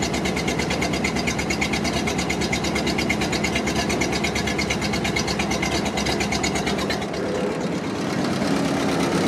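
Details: 1929 Ford Model AA Express, sat over 30 years, first start, no coolant: uneven loping idle with a skipping beat in the exhaust pulses, seemingly down a cylinder; rough idle, misfire.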